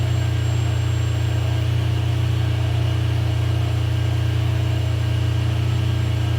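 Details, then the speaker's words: Ferrari 456GTA V12 idling after a major service and radiator and oil cooler reinstall, with cooling fans running and climate control off: deep, even, steady low hum with no knocks or misses. No faults are stored and it is running great. "So the car is running great. You guys can hear that the cooling fans are running and I actually have the climate control turned in the off position."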